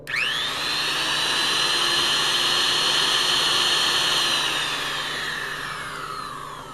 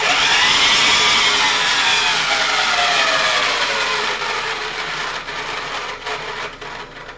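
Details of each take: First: Vintage Powr-Kraft 8542A modular router after bearing replacement: a clean high whine spins up quickly, holds a steady pitch and winds down smoothly with no grinding. Normal router run. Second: Vintage all-aluminium Powr-Kraft 8542A modular router before rebuild: harsh, rough high whine that wavers as the motor spins down, from badly worn bearings; switch trashed and brushes worn.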